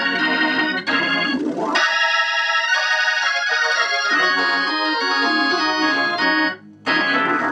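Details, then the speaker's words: Leslie speaker cabinet driven by a Hammond organ, heard after replacing the upper driver with a vintage V21 to cure distortion: organ chords come through clean and full with steady tone and no buzzing or crackle; speaker output now normal. "all right i consider that success that's troubleshooting a distorted leslie and so that concludes this series because that sounds very clear to me here in the shop"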